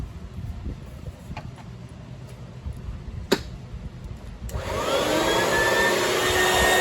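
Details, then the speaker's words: Oreck XL XL9100HG upright vacuum, formerly grumbly from a jam, after the fan clog was cleared and the old-style fan housing refitted: quiet at first, then a steady, even whoosh with no rattling. Runs normally now. "Sure sounds a lot better."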